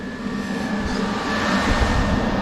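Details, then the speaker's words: 1990 Chevy R3500 squarebody dually with a new aluminum radiator and twin electric fans on temporary wiring: steady even rushing roar with a faint constant hum; both fans running normally, switched on and off via the HVAC switch. "Yep they're both working as they should I can cut those on and off via the HVAC switch for now"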